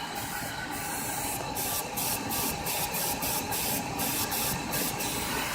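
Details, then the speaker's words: Idling engine with a broken hard plastic vacuum line patched with rubber hose: a steady, airy vacuum-leak hiss, now increasing at a different spot. "but I don't know if you can hear it but I the the Hitchens started increasing in a different spot"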